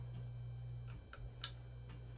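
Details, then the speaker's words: Hunter Original ceiling fan, just fitted with a new pull-chain switch and a reconnected red motor lead, run in reverse: low steady motor hum with a few faint light ticks, no grinding or wobble; normal running. "Test her in the reverse for the heck of it, because we know she works in 4 or 2."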